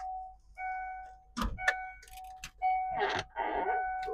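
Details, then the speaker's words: 1995 Ford F150 at 216,500 miles, inside quiet cab with key out: repeated chime tones keep sounding; door warning chime never turns off, cause unknown. "That door dinging does not turn off. I don't know why. The key isn't in it, but it always dings."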